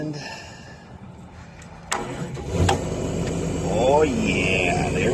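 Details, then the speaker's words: 1985 Kato excavator diesel, started with needle-nose pliers in broken key switch: starter click, brief cranking, catches in about 2.5 seconds and settles to steady idle; normal cranking and start. "Alright, you just put the key, or some needle nose in this case, right in there, and you crank it right up."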